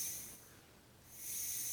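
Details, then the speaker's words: Budget transfill adaptor topping off a SCUBA pony bottle, small apertures in pipe and regulator, filled slow: steady, quiet high hiss of air flowing into the bottle, easing briefly then returning; a little noise, normal slow transfill. "so you can hear that there is a little bit noise I'll just keep it nice and slow"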